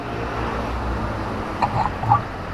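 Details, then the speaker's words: Kubota RD85DI2S tractor diesel, which is losing radiator coolant fast, pushing oil out the exhaust and running rough: flywheel turned slowly by hand for a compression check gives wet croaky gurgles as water gets into the combustion chamber. "Nah, itu seperti ada suara air masuk ke dalam ruang bakar."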